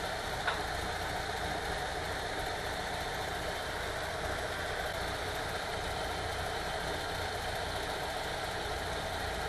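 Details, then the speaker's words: VW T3 2.1L flat-four idling quietly and evenly after the heads were replaced, fixing a rough-running misfire from a burnt, non-sealing number two exhaust valve: normal idle, no miss or clatter. "nice and even running again with the heads replaced this is the one that had the number two exhaust valve not sealing correctly"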